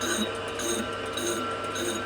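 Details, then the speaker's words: Lathe machining the inside of an out-of-round cast bend for a Supra build: high, shrill chatter swelling about twice a second per turn; damping with rubber bands or rags reduces it. "You want to try and avoid that. Old machinist tricks."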